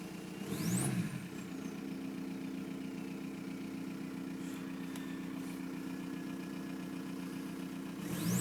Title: 1999 vw golf mk4 gttdi ahf loud turbo compression long start up/lumpy rough idle